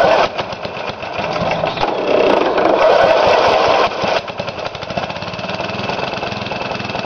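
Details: Briggs & Stratton small engine after rebuild with new piston rings and gaskets, governor readjusted: quick, fairly even firing with steady buzzy drone, no misses or hunting; runs smoothly.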